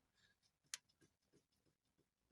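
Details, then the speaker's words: 1996 Honda CR-V RD1: faint dull knocks about three times a second as the rear left anti-roll bar is rocked by hand; worn stabilizer links and bushings, fixed by new links and shims under the bushings. "слышу тот самый стук это с левой стороны вот здесь вот если двумя руками тут взяться и покачать то это ощущается"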